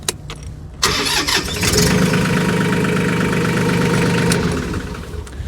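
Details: New Mahindra tractor that wouldn't start because the PTO switch was left on after brush hogging: with PTO off, brief crank then it fires right up and holds a steady, even diesel idle; starts and runs normally.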